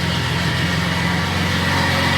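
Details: Off-road truck "Banana" with wheels off the ground, testing the newly swapped transfer case: smooth even engine hum, steady low drone, no knocks, whine or grinding from the drivetrain; normal running.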